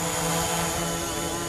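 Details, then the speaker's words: DJI Mavic Pro drone on aftermarket Master Airscrew props in hover: smooth, steady high prop hum, perhaps slightly less than with stock props, no wobble or buzz; normal hover, stability very good. "be the hum is slightly less but not massively notable at all stability is really good I'm impressed with that"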